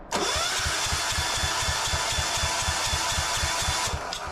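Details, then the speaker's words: Gravely walk-behind tractor repowered with a 418cc 186F air-cooled diesel, first cold start: starter whir with even compression thumps about four a second that never catch; cranks but won't start, cause not confirmed. "unfortunately we didn't get it going that night as cool as it would have been to get it going with brick"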